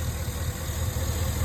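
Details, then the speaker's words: 2011 Cadillac Escalade 6.2L V8 with active fuel management, 178k miles, idling after lifter tick treatment and cleaning; low, even idle rumble with no ticking, slight shake but no misfire and no codes. "the engine does have a slight shape but I'll take that that's okay as long as it's not misfiring I have no codes"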